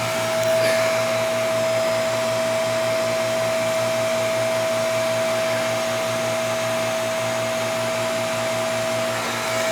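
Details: AC air handler being checked in a newly purchased home; steady, even blower roar with constant low hum and fixed tone, no rubbing, rattling or scraping; blower runs normally, not looking bad.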